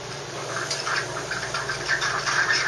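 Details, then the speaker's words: Saeco Syntia super automatic espresso machine, hot water from wand via knob turned right: steady even hiss with soft gurgling; normal hot water dispensing. "that's some water you can use this hot water to make an Americano or to make a cup of tea"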